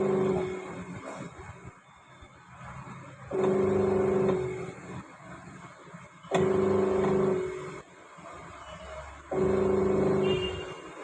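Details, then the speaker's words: Panasonic Active Foam 8 kg washing machine, gearbox replaced: rough motor hum swelling in bursts about every three seconds as drum agitates. Noise persists after gearbox swap; motor also faulty. "आवाज़ आ रहा है, motor का आवाज़ आ रहा है। Gear box तो हमने replace कर दिया है, इसमें मोटर भी ख़राब है।"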